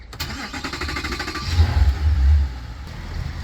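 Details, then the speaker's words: Short crank, then a deep, even rumble that settles smoothly with no misses on a Mercury V8 outboard on a boat lowered on its lift, with coolant reading 199 before the start; a good-running motor with about 1–1.5 psi water pressure afterward. "Sounds good. I like these V8 Mercs. Good running motor."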